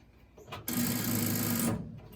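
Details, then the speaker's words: 1965 Ford Fairlane with a new gas tank, first start attempt with poor temporary wiring; a fast, even buzzing chatter for about a second while cranking; starter solenoid chatter likely from insufficient power to the starter, later fixed by changing the solenoid. "yeah that's just still annoying making that noise so that's preventing us from starting it"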